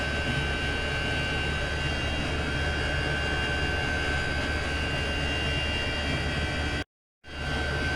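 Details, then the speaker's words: Chinese diesel air heater turned up to setting 6, full power, exhaust pipe looped through a water bucket: steady, even combustion roar with faint high whistle, slightly faster, no misfire or surging; running healthy. "Just turn the heater up now to setting 6. You can hear it running a little bit faster, just to see what we can get out of this,"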